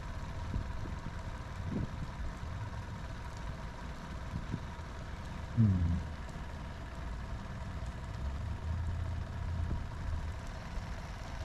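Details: Sea Ray boat engine after broken fuel line repair, idling low. Low, uneven, lumpy idle with one brief stumble. Active IAC fault, no response to the IAC test; circuit good, idle air control valve failed.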